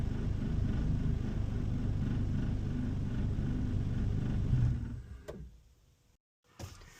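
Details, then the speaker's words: 1996 Honda Civic EK hatchback, freshly swapped JDM B20B non-VTEC with Integra GSR 5-speed manual, at idle after a drive: lumpy, uneven idle that sags and dies within seconds, then fires right back up; rough idle with stalling, cause not yet found. "You hear the uh input shaft? See how I just see how it's doing right now. That's the gremlin. Now watch this. Right back up. Fires right back up. It idle."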